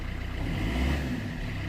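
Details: 2008 Vauxhall Corsa 1.3 CDTi (Z13DTH) diesel after its intermittent no-start was fixed without parts: an even idle clatter with regular low pulses and no stumbles or hunting. It is running perfectly with no smoke; normal idle.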